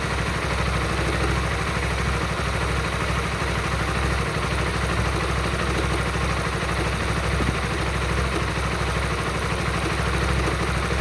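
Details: Honda Supra GTR 150: steady low idle with an uneven clatter riding over the beat; something is off in the engine, cause unknown.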